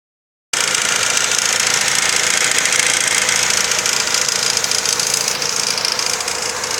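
Steady idle with a fast, fairly regular light knock, about three and a half per second, riding over a bright, hissy top end; source unclear.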